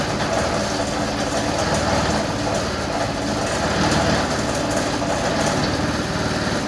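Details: Yamaha Vino 125 scooter after starter clutch replacement (starter previously failed to engage when warm): small single-cylinder buzzing at a steady idle with a quick, even beat and no grinding or stumbling; running properly.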